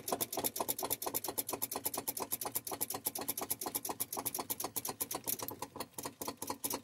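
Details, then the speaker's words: Volvo VNL with Cummins ISX: quick dry starter clicking, roughly eight a second, with no cranking; battery voltage present, starter suspected failing. "I can hear the starter clicking down there no dice"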